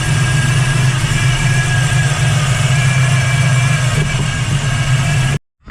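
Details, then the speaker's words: 1979 Camaro Z28 V8 with a Pete Jackson gear timing drive, before replacing it with a double-roller timing chain: constant high straight-cut gear whine over a lumpy idle; the gear drive is very noisy. "pulling out that Pete jackon Gear Drive that is so noisy"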